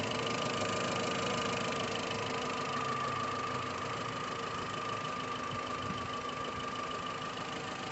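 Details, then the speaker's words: VW Gol 1.6 EA111 at idle after replacing the water pump and refitting the timing belt in time: steady even idle with a soft whir, no knocks, rattles or squeals; noise gone. "E aí galera, só pra finalizar aqui, ó. Agora só ficou o barulhinho do motor mesmo. Acabou aquele barulho,"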